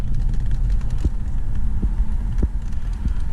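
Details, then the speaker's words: 2004 Honda Accord with AC blowing hot on one side, temperature control moved up and down. Sharp irregular clicks every half second over idle as the blend door actuator hunts and slips; the fix is to replace it, or tap it. Failing blend door actuator. "temperature down you hear that it wants to work but at the same time it doesn't want to work"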